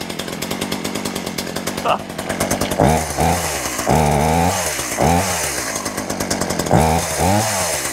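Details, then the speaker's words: Poulan Pro two-stroke chainsaw, first start after cleanup before cutting season: fires up and revs cleanly, picking up and dropping back smoothly with no misses or bogging; normal running. "oh that don't run too bad"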